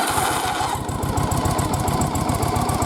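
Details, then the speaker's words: Restored ~40-year-old Yamaha XV920R chain-drive Virago V-twin, rebuilt after a leaky motor, fires up nicely, choke off, and settles into an even, loping beat with no misses or knocks; a healthy start. "Alright, fires up nice. Chokes off and everything."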